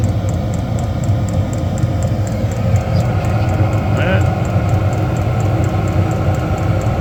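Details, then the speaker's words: Diesel heater installed in a bus, igniting: a steady low fan rush rises in speed under a fine regular tick about twice a second from the fuel pump; the heater is lit and running normally. "Now it's starting to pick up. really picking up now. And I think we're ignited"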